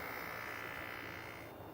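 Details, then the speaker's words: 2008 BMW 335i electric water pump activated for bleeding, no coolant movement seen in reservoir. Rough buzzing drone with steady high whine and raspy edge, not a smooth hum: failed electric coolant pump. "when I did run the electric water pump, it sounded really bad. I think I'm bleeding the electric water pump right now."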